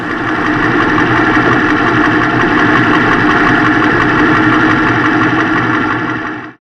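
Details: Ford F250 Super Duty engine idling after replacing the serpentine belt idler pulley and tensioner, the source of the earlier knocking: smooth, steady idle with an even pulse and no knocking or chirping; healthy.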